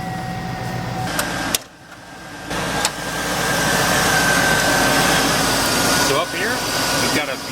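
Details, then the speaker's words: Escalade with LQ9 V8 at roughly 200,000 miles, started after sitting five months, new alternator and battery: quiet, smooth idle with no ticking or tapping; healthy engine. "it's like that's the quietest ls i've ever heard yeah there's no ticking no no nothing just fired up it was as smooth as this"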